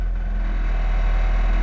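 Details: 1994 Acura Integra with no-start, running after fuel pump replaced and plugged back in; steady even low idle rumble, no misses or stumbles; normal idle.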